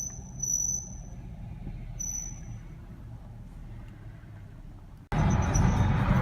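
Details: 2010 Cadillac SRX Premium, interior phone recording while driving at various speeds: short high-pitched squeaks chirping on and off over road rumble, intermittent, apparently unrelated to brakes, sometimes when turning the wheel.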